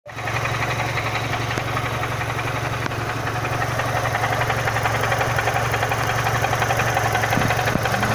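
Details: Renault Symbol 1.6 16v at idle: a light, regular knock about three per second over a steady idle, source unknown. The owner had replaced the rotation (engine speed) sensor a week earlier, suspecting the old one was leaking.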